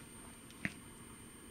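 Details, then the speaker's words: Faint, steady high-pitched squeal with one soft click from an A4F joule thief driving a 230V LED at 12V/100mA (11.3V); the circuit squeals under this load, which disproves the claim that the winding causes it. "Und jetzt, hört ihr das? Mit der Lampe quietscht jetzt auch das Joule-Tief,"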